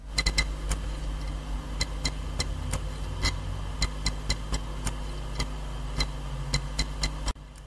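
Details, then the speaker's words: Almost-new Western Digital Blue SATA hard drive, not recognized in BIOS: sharp irregular clicks about two a second over a low steady hum, the click of death; drive most likely defective. "These clicking sounds are produced by the drive ... ... sometimes continuously, sometimes temporary If you hear more than one or two of these clicks ... ... your harddrive is most likely defective"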